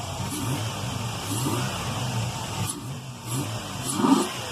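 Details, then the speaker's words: Pontiac Grand Am with a newly installed high-flow intake filter mounted at the MAF, light revs in a parking lot: a soft whooshing intake rush on each blip over a steady idle. Normal revving with intake induction noise. "El chiste es que escuchen cómo chupa el aire."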